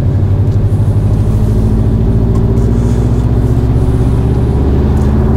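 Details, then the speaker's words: JDM Subaru Forester, cold, at half or quarter throttle, after warm-up enrichment table changes in the ECU remap: a steady, even pull with no stumble or hesitation. The usual cold stutter is gone. "normally that would be stuttering if I tried to give it any half throttle or quarter throttle not I should do that from [Music] cold but normally it would be stuttering stumbling whatever you want to call it"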